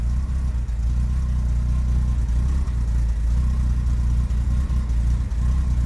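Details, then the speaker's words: 1973 Daimler Sovereign Series 1 (Jaguar XJ6) 4.2 straight-six, off choke, idling about 600–700 rpm: smooth, even low rumble with no knocks or misses; normal warm idle. "yeah she's off choke now listen there you go there you go running about 600 reps now yeah about 700 Rev she's about right"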